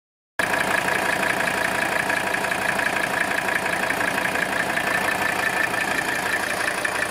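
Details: 1983 Mercedes-Benz 300TD diesel at idle during blowby test, showing no blowby: even, soft diesel clatter, no misses, knocks or surging; normal healthy idle.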